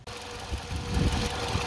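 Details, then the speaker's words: 2008 Toyota RAV4 with misfire code P0302 after replacing the bad cylinder 2 injector: the petrol engine now idles smoothly with a steady low rumble and even hum, no stumble; the code was cleared. "so I have put in a new one in cylinder 2 and then the engine runs smooth"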